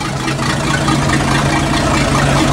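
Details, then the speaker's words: Boat port engine after long storage, on water supply: just started, settles into low, fairly even idle burble with exhaust water noise; idling smoothly. "just suddenly got that port engine running you'll deliver idling smoothly"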